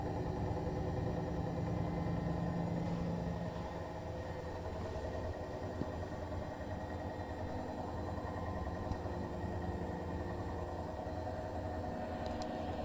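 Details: New Bosch Serie 4 EcoSilence washer, technician-installed with transit screws removed, during spin: steady loud droning rumble with humming tone and faint pulsing from the drum/spindle, brushless motor quiet; noise from 400 to 1400 rpm, loaded or empty, cause unknown.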